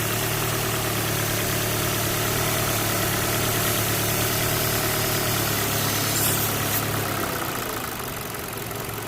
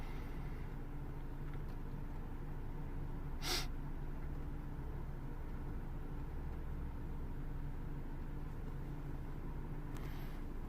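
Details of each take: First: Ford Focus 1.6 petrol idling high and rough with slightly bouncing revs, running lean; a short aerosol hiss of spray sucked in changes the revs, confirming a visible vacuum leak. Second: Ford Focus 1.6 petrol after fixing high, fluctuating lean idle: steady even low hum, rpm on target, fuel trims dropping toward normal; smooth settled idle.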